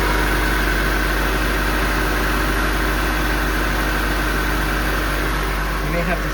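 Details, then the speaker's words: 1986 Toyota Camry idling with AC on after reassembly and recharge of a suspect compressor, ice-cold air; steady even idle with no clatter, chatter or grinding, normal AC compressor operation. "And miracle of miracles, I'm not hearing a giant clattering, chattering, grinding noise from the AC compressor."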